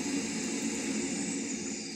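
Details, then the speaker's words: Chaffoteaux Pigma Green condensing boiler fan, tested with the pipe removed: a smooth airy rush that tapers off, with no squeal or hum. "Ну от ніякого писка нема. По крайней мере, сечаас ось оце показує, що без патрубка немає оцього гудения."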